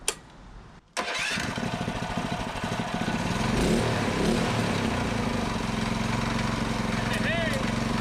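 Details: Predator 224cc Max Performance engine with milled, ported HEMI head and stainless valves, first run after new fuse and breaker reset, choke on: sharp start, then an even, steady single-cylinder beat with no knock or miss; runs healthy.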